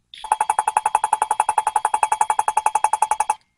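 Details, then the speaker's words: Drill-driven valve lapping tool popping a valve against its seat in a cylinder head: crisp, even clatter about four per second with no misses; normal lapping action seating the valve evenly. "You hear that clattering for that valve smacking against the valve seat? Yeah, it does that all the damn time."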